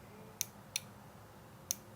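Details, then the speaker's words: New Whirlpool 8318084 top-load washer lid switch, replacing the one on a washer that fills but won't spin or agitate, pressed by thumb: four crisp clicks, snapping back with good spring action; normal switch. "so let me show you how this one is supposed to work so listen carefully you hear the click"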